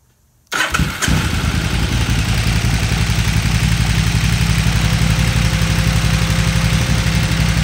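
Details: 2008 KTM 990 Adventure S, 6,500 miles, after 15-minute TuneECU idle adaptation reset, warm: engine catches after brief crank and settles into even, steady idle with no misses or hunting; normal idle, though it dies when throttle is chopped.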